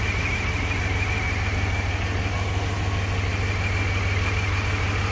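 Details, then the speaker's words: Chevy Monte Carlo with a naturally aspirated L36 3800 Series II V6 at its first start-up after a revamp. A steady, even low rumble at idle with no knocks, ticks or misses; running smoothly. "The bass is a little bit deeper because it's in that corner over here, but that's usually what it sounds like, a little small rumble."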